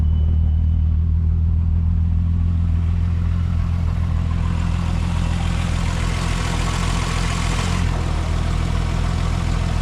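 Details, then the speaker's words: MK4 12v VR6 after water pump and belt replacement: smooth, even low idle hum with no ticking, rattling or marble-like clatter, unlike before; engine idles healthy. "Quietness. Oh, so much better."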